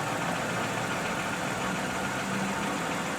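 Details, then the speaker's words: 2007 Toyota Camry V6 XLE, idling once warmed up. Steady, even hum with no knocks or misses and a smooth, unchanging level; normal warm idle. "so what you're hearing now is pretty much what they run like when they're warmed up"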